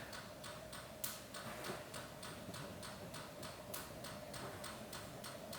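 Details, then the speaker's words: NSG 438 ESD test gun doing ISO 10605 contact discharge at 8 kV on an automotive module: sharp even clicks about three per second over a quiet room; gun discharging steadily, device handles 8 kV as well as 4 kV, unaffected. "You can hear it clicking, right? There's nothing happening."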